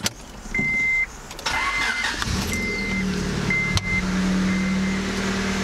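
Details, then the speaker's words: Honda cold start after engine reassembly, previously slow to start and erratic when cold: chime beeps, brief cranking, catches at once, revs up then gradually lowers rpm to a steady, even idle; now normal. "Agora, ó, ele acelerou, normal, que nem tudo Honda. E agora ele vai baixando a rotação gradativamente. Como tem que ser."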